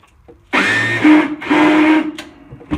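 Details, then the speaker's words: Short bursts of high whirring as the starter spins freely without engaging the flywheel on a Husqvarna Rider 970 mower with a Briggs & Stratton 15.5 HP engine; engine never turns over: stripped starter drive gear, flywheel ring gear suspected too. "So the gear on the starter is stripped, and at the same time I guess I'm going to go ahead and check the ring gear on the flywheel to make sure it's not stripped also."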